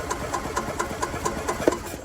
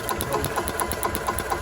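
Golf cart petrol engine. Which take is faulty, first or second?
first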